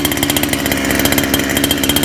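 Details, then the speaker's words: First start of friend's two-stroke motor: fast even buzzy putter, steady firing, no stumbles; smooth idle, richer than it should be. "Man, nice and smooth. Look at that. Break the thing idle. It is richer than where it's supposed to be."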